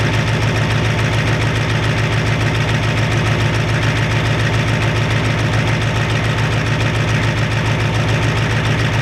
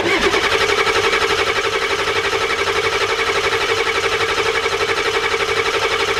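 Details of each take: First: 1993 Ford F-250 7.3 IDI diesel after turning the injection pump up and purging air: even steady idle clatter, regular beat, no misses; sounds much better, burning a little oil, normal idle. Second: 1993 Ford F-250 7.3 IDI diesel, injection pump turned up two flats, injectors primed: extended cranking to bleed air from the injection pump, steady starter churn about four pulses a second, no firing yet.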